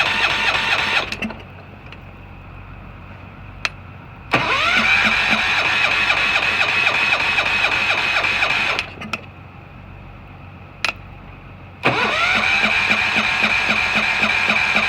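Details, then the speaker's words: Tractor in cold, snowy weather, started 2-3 days earlier: two bursts of fast, even cranking, never fires even with starting fluid; owner suspects a spark issue. "how does something not start with starting fluid like really how is this possible it's literally called starting fluid it's almost like like it's a spark issue"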